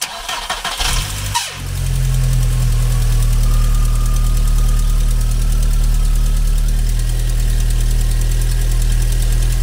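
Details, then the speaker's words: 2000 VW Golf Cabriolet after new spark plugs, a cleaned distributor cap and a new air filter: a brief high screech while cranking, then a steady low idle; starter motor bushing suspected, not confirmed. "the that squeal was to start from older it was a team that old Volkswagen used to do it was really weird because the bushing of the starting motor"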